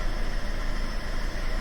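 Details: Fiat 500 (Red Pop) with persistent lumpy tickover, restarted after another part swap with no change: deep, uneven pulsing rough idle; owner next suspects the fuel rail, cause unconfirmed.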